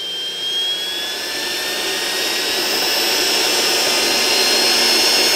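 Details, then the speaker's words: Perfect brand 10L commercial vacuum motor on variac testing for short: smooth high whine climbing in pitch and loudness, 3 A at 13 V to 4 A at 20 V; runs evenly, no short. "you can hear it now that's three amps we're at 13 volts 20 volts we're at 4 amps"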